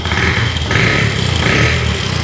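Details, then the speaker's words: 2003 Honda TRX 90 ATV after a valve adjustment restored compression from none to 170 psi, choke off: single cylinder catches cleanly and revs up quickly and evenly with a steady firing beat; healthy revving. "but she revs up really really well my kids should be pumped up at Christmas time"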